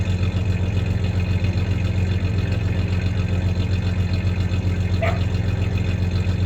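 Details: 1993 Ford Ranger 3.0 V6 idling with a little rev: low steady idle with a slightly uneven pulse and small recurring stumble, a slight misfire; clanking heard is tie-downs in the bed, not the misfire.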